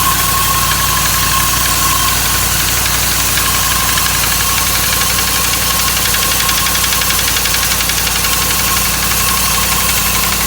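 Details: 2008 Dodge Ram 1500 5.7 Hemi at idle: rapid, fairly even knock about four a second over the idle; internal engine knock, five mechanics couldn't identify it, told it needs a new engine.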